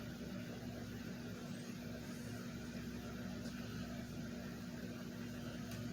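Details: Cool Master floor fan after a motor swap to increase velocity, first test on low speed: steady low hum with an even whoosh of air, no knocks or rubbing, though the blade set is slightly out of true; runs smoothly.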